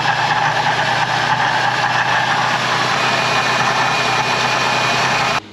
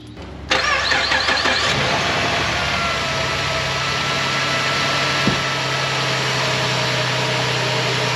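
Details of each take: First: Ford Transit 350 3.7L V6, about 124,000 miles, before water pump, tensioner and serpentine belt replacement: steady idle with a low, rough grumble underneath; bearing grumble, owner suspects the water pump, hopes not the alternator bearing. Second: Ford Transit 350 3.7L V6, first start after replacing noisy water pump, serpentine belt and tensioner, coolant refilled: cranks briefly, catches cleanly, settles into smooth steady idle with no knocks or squeals; normal after repair.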